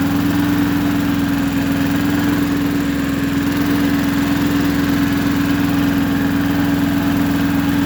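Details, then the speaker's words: Neighbor's roughly 40-year-old Japanese Hinomoto two-cylinder diesel tractor, test run after years unused, now with a new starter and ignition. Steady, even low chugging with a constant drone and no misses, knocks or hunting: runs real good, a healthy diesel. "Wow. Okay, that runs real good."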